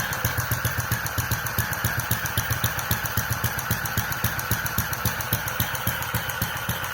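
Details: Restored Centaur model gas engine with electronic ignition, fuel injection, toothed-belt electric start and a clacking gas valve, running slowly. Beats of uneven spacing and strength, as since carburettor days; owner suspects combustion chamber design or governor instability.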